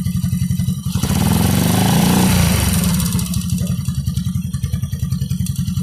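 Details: Warm 100/110/125cc motorcycle engine: a steady hollow marble-like knock, about four a second, under the idle, sounding as revs drop after throttle release. Piston slap from a loose, worn cylinder block bore; block replacement planned.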